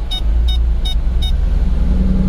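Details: 2007 Nissan Maxima 3.5L that will not accelerate and stalls, with a coil unplugged: low, uneven, labouring rumble with sharp clicks, bogging toward a stall under load.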